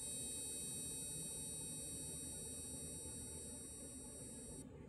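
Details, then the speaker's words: HID headlight bulb on a bulb tester: faint steady high electronic whine for a few seconds, then abrupt cutout, as the ballast/driver detects a bulb designed for a different voltage and shuts off without damage. "see it goes out which means this light is designed for a different driver it still fits in a socket they will all fit in a socket but it's designed for a different voltage it doesn't fry anything it just turns on the driver electronic sees that it's the wrong uh light or something wrong with the light and it just shuts"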